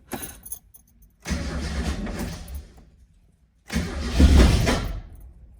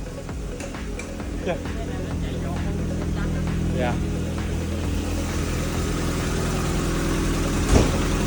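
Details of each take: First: Mazda Miata bought used, sat at least a month, in neutral, first start after work; catches after cranking then lopes unevenly; owner suspects the cam angle sensor upset timing, but the cause was spark plug wires in the wrong order. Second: Mazda Miata after the misfire fix, spark plug wires put back in correct order; catches and settles into a steady, even idle, no misfire or knock; normal running.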